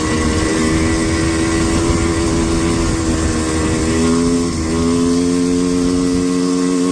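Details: Four-wheeler at full throttle while riding: steady high drone with a brief sag midway, never climbing freely, bogging under load, slower than down in the valley; cause suspected, not confirmed.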